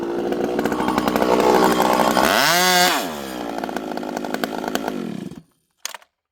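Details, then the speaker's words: Rebuilt ported 85cc Stihl 064 with new piston, clutch, big transfers and pipe, fitted with a new carb, high jet about 1 turn, cutting slightly frozen American elm: steady scream barely dips as the bar bites and pulls clean; holds speed, running strong. "Lightweight, huge chain speed. You can lean into it and it doesn't slow down."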